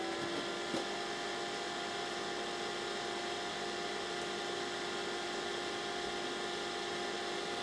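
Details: Dell OptiPlex 760 powering on and booting to BIOS: quiet even whir with steady mid-pitch hum, no rattles or surging; fans spinning up cleanly, normal.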